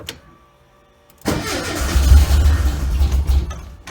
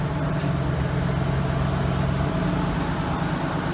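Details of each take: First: Carbureted car sat all winter, started cold in about 55°F New England weather, carburetor still tuned for Florida: it catches, runs rough, dies, then restarts; the owner attributes it to cold and the Florida tune; oil pressure and voltage good afterward. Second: Cadillac Allante woken after a four-to-five-month winter layup: it fires right up into a smooth, even idle with no misfire or smoke; belts are slightly squeaky, and a small oil leak possibly on the belts is suspected.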